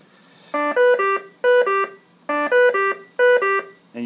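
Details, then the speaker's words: V60 BiPAP ventilator with alarm volume turned down: loud pitched beeps repeating in a three-then-two pattern about every second and a half, the high-priority alarm, in contrast to the low-priority alarm. "that is a low priority here's what a high priority sounds like you will get to hate that"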